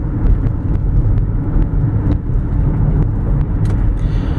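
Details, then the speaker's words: 2004 Lexus RX330 AWD on a test drive over a rough, potholed road: steady low road rumble with soft tyre thumps and no clunks, rattles or squeaks; suspension feels tight and sounds normal. "it has excellent feedback it does not feel jarring at all no vibrations no rattles no squeaks no looseness in the suspension it feels very tight and"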